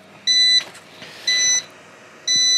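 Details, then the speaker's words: Old 240 V UPS run on a 12 V car battery with about 500 W resistive load after mains switched off, battery holding 11.3 V, output 227 V: three even high beeps about one second apart; on-battery alarm beeping until AC is restored. "okay hush stop your incessant beeping and as soon as you turn off no as soon as you reapply ac power it starts charging"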